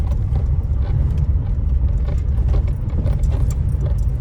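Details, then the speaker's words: Citroen C4 Loeb edition after the Bilstein shock upgrade, driven on full steering lock over rough ground: steady low road rumble with no suspension knocks; a slight rattle from the anti-roll bar D-bushes remains. "There's no suspension knocks on full lock and we're on quite rough ground here."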